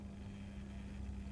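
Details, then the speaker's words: New Accurascale Class 31 model locomotive, not yet run in: steady low buzz like a hive of bees while running, louder in forward than reverse; fan motor buzzing suspected, not confirmed. "doesn't sound great though sounds like there's a a hive of bees living inside it"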